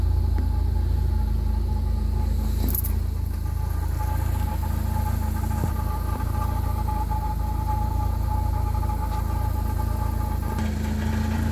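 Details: 1997 Jeep Wrangler SE at idle, heard at the rear near the muffler: a light metallic buzz riding on the exhaust pulses. Exhaust rattle around the muffler; the vehicle otherwise runs and drives fine.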